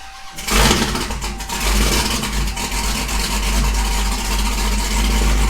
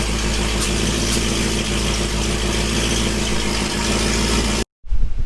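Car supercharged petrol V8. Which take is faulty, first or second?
first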